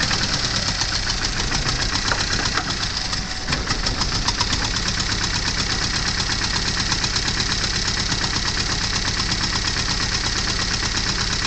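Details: Porsche 924 with very hard starts that runs only briefly: uneven, lumpy idle with irregular pulses and surging as the throttle is feathered, struggling to stay running. Rough running and stalling, cause not yet diagnosed.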